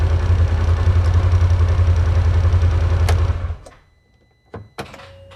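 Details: 2016 Polaris Ranger 900 XP with crank-no-start issue, after throttle body cleaning, still on 8-10 month old stale fuel; catches and runs with an uneven, lumpy pulse about three or four beats a second, then shuts off: still rough, old fuel suspected.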